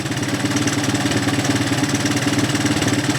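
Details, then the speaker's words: Single-cylinder with melted plastic near the spark plug wire area, being run to dry out. Steady, even thump of about three beats a second with no misses or knocks, smoothing out: normal idle. "She's smoothing out nice. Yep. She's uh she's waking up good."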